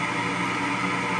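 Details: Power vent hot water heater exhaust, heard outdoors at the side-wall 3-inch vent by the porch without the suppressor: steady loud whooshing drone with constant hum, no pulsing; blower far too noisy.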